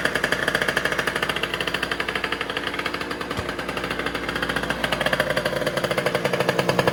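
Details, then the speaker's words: 70cc two-stroke scooter on race gas, drill-started, total-loss battery setup: a raspy, fast, even buzz with a crisp regular firing beat, steady with slight rises, like a nasty little chainsaw. Normal running. "And it sounds pretty wild. It sounds like a pretty nasty little chainsaw, but you know, it's only 70 cc's"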